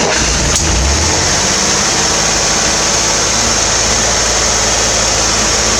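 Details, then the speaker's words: 1968 Corvair after installing a mechanical fuel pump: fires up and holds a steady, rather fast idle on its own fuel supply with a busy fan-like rush; runs cleanly, though it idles high as it always has. "Alrighty, well, I'd say that runs. Yeah, I'm pretty happy with that."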